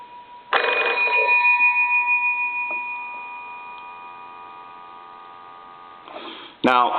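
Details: Old wooden wall crank telephone, most likely a Kellogg, after repair, line cord plugged into an analyzer and the phone rung: loud, bright, steady bell ring for a couple of seconds, then fading. Ringer strikes cleanly.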